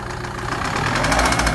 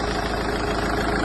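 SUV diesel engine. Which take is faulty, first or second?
first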